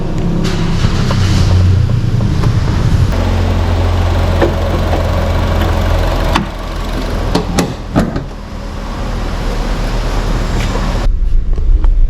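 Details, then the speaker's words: Chevrolet Sonic on a road test after a P0300 misfire fix following an engine wash, checking for power loss under load. Smooth, steady pull under road and wind noise, no stumble or shake; the engine runs clean under load. "Obviamente el temblor se ha ido Pero puede ser de que de alguna manera Al momento de salir en fuerzas pues tenga alguna pérdida de potencia entonces me voy a asegurar de que eso no esté ocurriendo"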